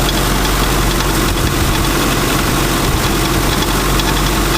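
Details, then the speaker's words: 1985 Mazda ute carburettor engine just started after a points change, still cold on choke, not run for two weeks; loud steady idle with a loose, uneven rattle, something loose, source not yet found. "Got a bit of a ratty tat-tat noise from somewhere. Oh well, sounds good. Yeah, that's a bit... something's a bit loose. I'll have to work out what that is. It's just rattling around a bit, but that's pretty good."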